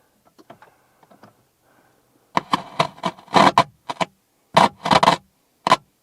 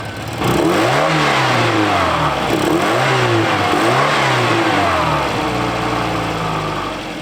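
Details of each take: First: Abandoned 1984 Volvo 240, parked since about 2012, fresh battery: after a quiet spell, short bursts of rapid clicking come and go, engine never turns over; starter clicks without cranking, cause suspected not confirmed. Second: 1984 Volvo 240, first start after sitting for decades, ignition reconnected: revs up and settles repeatedly, pitch rising and falling cleanly with no knocks or misses; normal running and revving.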